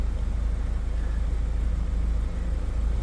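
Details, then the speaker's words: Mazda CX-5 2.2 SH twin-turbo diesel after fixing hard starting traced to lost fuel pressure at the filter housing or feed pump: low, even idle rumble near 200 beats per minute, no hunting or stalling. "yan umaandar na siya hindi na namamatay Abangan natin baka biglang mamatay na"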